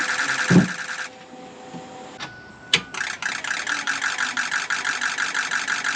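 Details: 2006 Ford F-550 6.0 Powerstroke diesel after blue spring kit install, fixing a damaged regulator O-ring that had fuel pressure at 45 psi or less, now 65 psi: a few clicks, then soft even clatter about three beats a second; normal idle.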